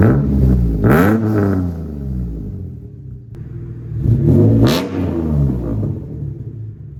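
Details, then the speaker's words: Mitsubishi 3000GT with a self-fabricated custom exhaust, with a resonator added. Two sharp throttle blips over a deep idle with a raspy, brappy edge: quieter than before but still raspy. "mean, don't get me wrong, it's way better than before, but it's a little brappy for my taste."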